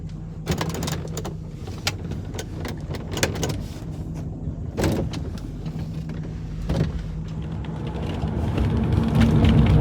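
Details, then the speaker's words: 2002 Ford Thunderbird with hardtop, driving over rough ground/steep garage incline: sharp irregular squeaks and creaks from the hardtop rubber seals over cabin rumble; minimized by keeping the bottom seal clean and conditioned yearly. "the other hard top negative is the squeaks and creaks that emanate from the seals on rough roads or on Sharp inclines like we have entering our parking garage take a listen"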